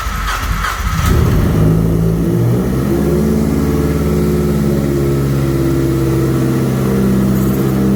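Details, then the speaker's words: Mazdaspeed 3 first fire-up after head gasket replacement with head studs and a Cometic gasket. Short crank, catches, flares, then settles to a smooth steady idle with no ticking or knocking; healthy start. "the car's alive okay that ran the pump once this is the first fire up"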